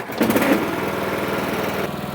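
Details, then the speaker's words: Husqvarna riding mower, 21 hp Kohler Courage twin-cylinder, running after valve cover gasket replacement to cure oil smoking: steady, even mid-speed putter after a brief rev, no misses or knocks, and no leaks after about 10 minutes. "well it's been around 10 minutes no signs of leaks so I think we can say that this job's completed"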